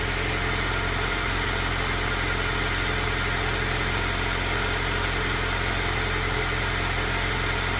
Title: Alfa Giulia cold start rough idle